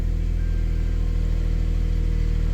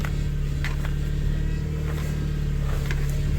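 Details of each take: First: 2001 Subaru Outback first start after new serpentine belt, idler pulley and tensioner, charging 14.4 V (battery was 10.7 V): steady even idle, smooth low hum, no squeal, chirp or knock from belt; normal idle. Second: 2001 Subaru Outback at idle after serpentine belt, idler pulley and tensioner replacement, bubbles in fluid: steady constant-pitch droning whine, improving; power steering pump whine from air in fluid.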